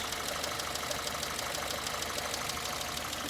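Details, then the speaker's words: 2011 Citroen C3, 1.2 or 1.4 engine, check engine light with misfire, coil pack blamed. Busy idle with sharp ticking about three per second over an uneven, lumpy pulse as the car stumbles; one cylinder misfiring from a failed coil. Slow-switching O2 sensor also found. "The longer we sit here, we can actually hear the car stumbling."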